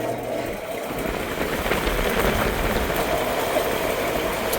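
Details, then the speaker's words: Aftermarket outdoor fan motor in a Goodman heat pump, 3–4 days after cleaning and re-greasing screeching ball bearings, run via contactor: even rough whirring with faint scratchy hiss; scored bearings still need replacement. "So it's still got that sound you get when you initially have the scored bearings, like it's going to need attention."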